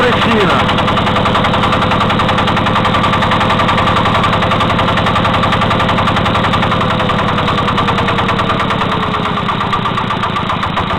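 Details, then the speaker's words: Single-cylinder walk-behind tractor engine runs with a steady rapid knock, about three to four a second, audible after a loosened right-side crankshaft counterweight was retightened; valve clearances normal, nothing rubs, cause unknown. "Такий стук, як заводу. Що воно може бути, я не знаю."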